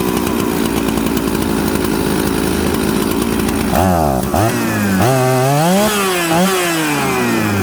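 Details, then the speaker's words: Warm Husqvarna 266/Jonsered 630 Super mixmaster chainsaw: fast idle, then revs climb and sag, bogging on throttle; high-speed jet leaned slightly too much, starving the low jet. "did you guys see that when i leaned out the hijack too much just a hair too much it actually affected the fueling on the low jet and when i touched the throttle what did it do it fell on its butt"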